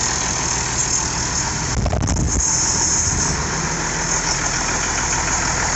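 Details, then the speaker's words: IH 5288 tractor diesel at first start after finishing touches, injector lines bled with fuel to at least four: steady even idle clatter, no knocks or misses, sounding better than it has in years; normal idle. "damn that sounds good boy she's thrilled that sounds better than it has in years"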